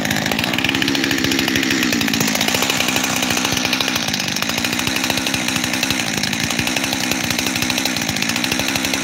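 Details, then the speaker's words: Freshly rebuilt Husqvarna 372 XTorq chainsaw with new bearings, idling: fast buzzing beat that surges and sags instead of holding steady, a double idle; owner suspects an air leak at the transfer cover, not the carburetor. "I think that transfer cover is leaking, and that's what's causing me a double idle."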